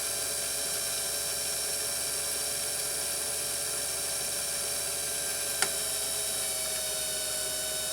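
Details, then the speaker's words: Singer 328K sewing machine just after lubricant was applied near the balance wheel while running: an even, quick high whir that picks up speed, with no clanking apart from one brief tick, so it runs smoothly. "Did you hear it pick up? It doesn't sound clanky right now, does it?"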